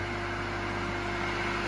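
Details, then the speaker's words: Single-phase motor on 220 V started with a capacitor that is removed once up to speed: steady even hum with a constant tone and no knocks or rubbing; running normally at full speed. "Immediately disconnected the capacitor Everything, the engine started"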